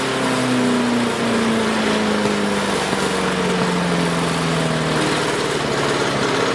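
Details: Craftsman 5 hp wood chipper single-cylinder, revived after sitting 3 years jammed: steady buzz with slight pitch drift, no stumbling or misses; initial smoke, likely WD-40 or PB Blaster, cleared and exhaust ran clean. Running smooth.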